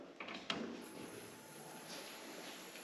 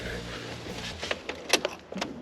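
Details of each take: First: Mazda Miata after a new fuel pump was installed and heard working, with the fuel pump relay suspected bad: steady, even cranking at about three turns a second for six seconds without firing. It cranks but won't start; cause unconfirmed. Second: Mazda Miata with used fuel pump sending unit plugged back in, key turned on: brief steady low hum then light clicks, a fuel pump priming normally and confirmed working.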